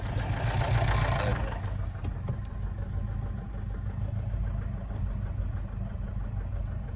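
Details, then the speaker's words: Mazda 6 that came in not running, no fault codes, smoking heavily: low uneven lumpy rumble after a rev flare, idle hunting and stumbling with a shake; massive over-fuelling suspected; rough idle. "So we're running, but it's not running right. Ooh. Something crazy wrong here, lads."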